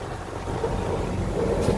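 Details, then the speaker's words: 1-ton AC outdoor unit after fixing an overheated compressor, gas checked correct; power restored and the compressor starts, even steady hum and rush with no knocking or rattling, running smoothly. "आवाज़ आ रही है, कंप्रेसर भी स्टार्ट हो गया है। तो इसमें बस यही प्रॉब्लम थी।"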